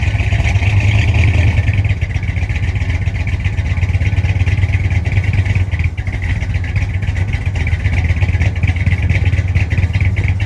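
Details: 1965 Chrysler 300 non-letter car with a 383 V8, which sat since 2005 after transmission issues and was revived after the mixture screws were set about 1.5 turns out. Heard from the rear: a steady deep burble with even exhaust pulses. Normal, healthy running.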